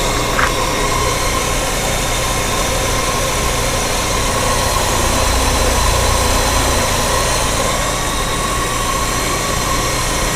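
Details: 1994 Mitsubishi Diamante V6 with new spark plugs, wires and fuel filter: starts perfectly, then idles unevenly with an irregular stumble and shaking from random misfires.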